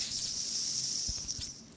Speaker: It's leaking out the bottom here. Okay, so it's leaking out the bottom here, obviously, but other than that, seems to function all right.